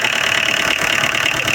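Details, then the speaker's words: Tata Indica Vista TDI diesel at idle with a busy metallic engine rattle over steady clatter; also has starting trouble, AC on but not cooling, ICD light constantly lit, RPM needle and check engine light not working; ECM supply/fuse suspected. "और... engine में खड़खड़ाहट की आवाज आ रही है, उसे भी देखो।"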